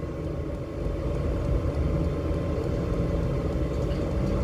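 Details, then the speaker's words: Newly fitted Webasto-type diesel heater (12/24/220 V, 2.5-litre tank) in a Dacia Dokker, first run, warming up to hand-burning output: steady even low rumble, no knocks, misses or surging; burning cleanly, normal running. "gayet güzel bu başarılı Yani evet daha doğrusu ne gittikçe Evet şu an el yakacak moda geldi Arkadaşlar neredeyse"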